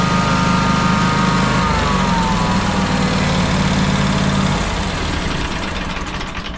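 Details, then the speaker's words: John Deere X350 mower, after a new electric fuel pump was fitted, has a single-cylinder idle that swells and sags and is still surging. Fuel filter and pump are ruled out; carburetor, fuel lines or debris in the old pump are suspected. "Still surging. Okay, so I've come to the conclusion that it is not the fuel filter, it is not the fuel pump."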